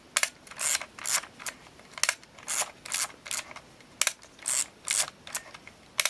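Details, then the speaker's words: Olympus XA2 compact 35mm film camera with batteries: crisp shutter clicks each followed by a short ratcheting wind; shutter and film advance working normally. "Higher pitch, and the shutter trips, and then it's ready to go to the next picture."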